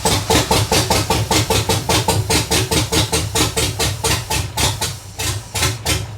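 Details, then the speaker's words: BMW swapped with a 6.0 L V8, after adding an extra ground: heavy uneven tractor-like chuffing about two and a half lopes a second, firing on only a few cylinders. "well no luck at all the car still sounds like a tractor we have to figure this"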